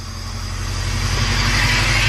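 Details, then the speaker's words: Honda Civic EG idling just after a stage 4 clutch install, hood closed: a rough, gritty grind rides over the running note and grows slightly louder. It is much better than before, the source is not pinned down, and the owner thinks it may be normal. "See, you can kind of hear the grinding, but it's a lot better, right?"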